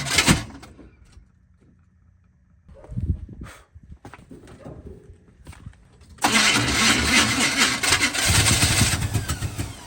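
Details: 2001 Audi A4 wagon daily driver: several seconds of halting cranking with pauses before the engine finally catches and roars unevenly; a hard start, cause still unclear.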